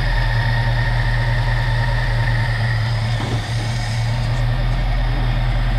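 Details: 1969 Mercury Cougar Sport Special with a 351 Windsor 2V V8, revived after 20 years: loud, deep, uneven idle throb with a midway dip; the owner suspects a useless accelerator pump and that it needs adjustment.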